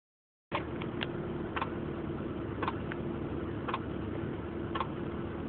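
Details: 1996 Honda Accord LX, manual: steady running engine with sharp, irregular clicks roughly every half second over a low hum; the source of the clicking isn't identified.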